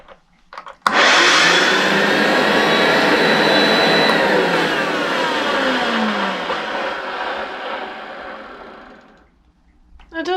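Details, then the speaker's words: Hoover vacuum cleaner, run with roller removed and new bag fitted: steady high motor whine with airy rush, smoother than the earlier horrible noise; motor feels freer, owner suspects it needs lubrication; cause unclear. "kind of sound better I think that does kind of sound better for some reason the motor feels Freer as well h it's almost like it needs a lubrication"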